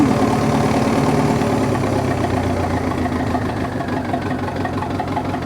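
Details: Dozer diesel just after replacing a failed alternator that had gone over 15 volts when revved and then quit charging; the voltage gauge now reads in the green. Even idle at about 220 pulses a minute, settling slightly, no knocks or squeals; normal idle.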